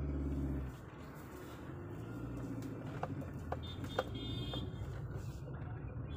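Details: 2006 Hyundai Santro petrol at 60 km/h test drive after suspension bushes replaced (old ones were worn, causing noise): steady road and engine hum, no knocks or clunks; suspension quiet.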